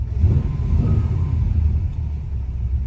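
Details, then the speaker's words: 1966 Chevy Caprice V8, just started after being flooded by pumping the gas: deep even rumble with no knocks or misses, steady low burble; runs pretty good, normal running. "Yeah. She run pretty good."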